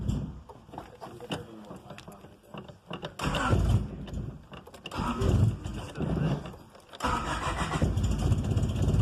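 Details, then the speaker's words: 1995 Honda Civic EG coupe cold start: repeated cranking bursts with stumbling catches before it fires and holds a rough idle; happens daily only when cold, runs normally warm, cause unknown. "Give it a sec. It's cold. It'll come out of it."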